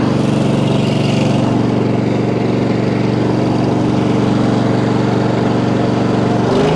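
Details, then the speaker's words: Multiquip 1.5-ton asphalt roller's small engine, running again after the failed fuel pump was replaced with a cheap clicky electric pump: steady, even lawnmower-like chug about three beats a second, no misses or knocks; normal idle. "She runs, like I said, it's like a little lawnmower. It's nothing special."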